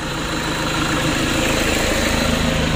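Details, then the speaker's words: Toyota Innova 2KD diesel just rebuilt, warming at idle: coarse, uneven pulsing roughness about three times a second, intermittent; seemingly from the transmission, suspected poorly fitted clutch disc, to be checked. "untuk suaranya kurang bagus didengar [Musik] lumayan kasar yang pertama di transmisinya teman-teman"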